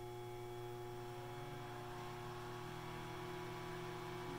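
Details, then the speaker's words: Jenn-Air microwave on a 30-second full-power test with a cup of water: steady low mains hum with faint tones, but the water stays stone cold. Magnetron failure, no heating. "me it sounds like it's humming I don't know I'm going to tap it to me it's got a home-like it's running I was trying to run but it's not getting hot check my water stone cold"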